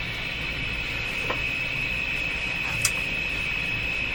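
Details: Philco 38-C7 tube radio during RF alignment check, volume full, dial at the far end of a different band: thin steady high-pitched whistle at one pitch over hiss with faint clicks as the set oscillates, cause not yet found.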